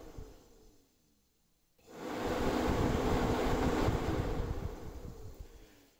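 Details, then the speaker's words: Fan test on an electric radiator fan for a restored 30-year-old VW Golf Mk1 aluminium radiator: smooth, even whir spinning up and down, no grinding, rattle or bearing growl; normal fan running, bearings healthy. "first of all let's see if the fan works because if it doesn't we need to get a new one and let's we should hear also the state of the bearings"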